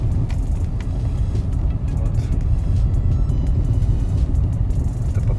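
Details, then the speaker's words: Mercedes-Benz front suspension driven over bumps on a rough road: irregular sharp knocks over deep road rumble, sounding like the whole suspension is broken; diagnosed as worn front stabilizer links, not yet replaced. "при езде по кочкам получаются вот такие звуки сегодня на диагностике оказалось то это сетки вот они издают такие звуки кажется что прям вся ходовая полностью поломанное"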